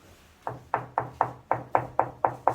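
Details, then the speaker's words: Tile laid with adhesive not properly pressed, tapped before full cure; nine sharp taps about a quarter second apart, each with a short hollow ring, tile not solidly bonded underneath. "근데 본드 같은 경우는 제대로 압축을 하지 않고 일반적인 시공하게 되면 완전 양생 하기 전까지는 요런 통통 소리가 나요"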